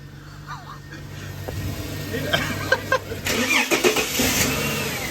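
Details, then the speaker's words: BA Ford Falcon XR6 petrol engine, formerly overfuelling, worst when cold and not revving past 5000 rpm, after a new fuel pump and pressure regulator and correctly refitted fuel lines: cranks briefly, catches about three seconds in, smooth steady idle; runs right. "somehow it was mean it that's sounds happier now oh yeah it feels strong"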